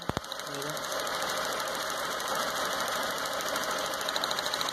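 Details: 2006 Stratus 2.0 with a misfire, low power and shaking: sharp, rapid snapping ticks in step with the firing over a quiet engine, as spark leaks to ground through a plug wire; new plug wires recommended.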